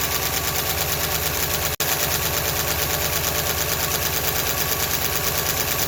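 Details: Ford LTD running on milky contaminated oil: fast, steady metallic ticking over the idle that follows engine speed. Valve train noise from all valves; lash to be adjusted with a ratchet.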